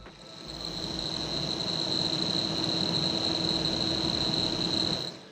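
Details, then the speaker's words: DJI Power 2000 intake port while charging at about 1,800 W. Steady, even rush of air with a faint high whistle and no rattle or whine; a cricket chirps in the background. Normal fan. "And let's try the intake. All I'm hearing is wind coming out of it."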